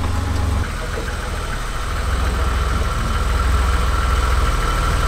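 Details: 1986 BMW E24 635CSI, started with a screwdriver: steady low rumble with an even beat around four per second, no knock or miss; engine idling normally.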